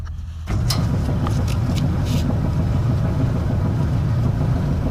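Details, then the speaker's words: Gas dryer that wasn't heating, after clearing a spider web from the gas pipe and burner tip and blowing out dust: steady even low roar without surging or sputtering, flame now much stronger than the original low flame. "Now you can see the flame is much stronger. From the original flame that we had was low flame, and"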